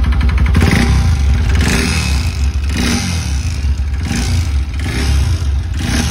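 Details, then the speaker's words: Bajaj NS200 BS3 brought in for engine noise: loud, heavy clattering knock rising with every throttle blip over a rough, uneven idle, no white smoke; noise grows after revving; engine opened to find broken piston knocking. "ओ हो सुना दोस्तों आपने sound कितना गंदा sound आ रहा है और white smoke भी नहीं कर रही गाड़ी"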